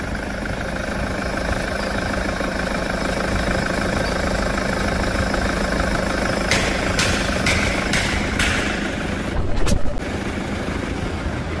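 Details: 2014 Toyota SW4 diesel idling: a faint, steady whirring hum from the belt drive near the water pump under the diesel clatter; a worn idler pulley bearing, and the pulley is to be replaced.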